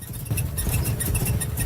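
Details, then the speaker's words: Car engine idling low with a faint repeating high chirp each time the clutch pedal is pressed, a noise typical of a worn clutch release bearing; clutch release bearing noise. "Si te das cuenta, cada vez que se presiona el pedal del embrague, notamos que emite un ruido."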